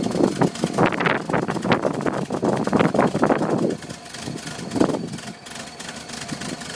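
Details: 1978 VW Westfalia bus with an uneven, stumbling idle, irregular pops and surges, then the engine dies: a rough idle ending in a stall.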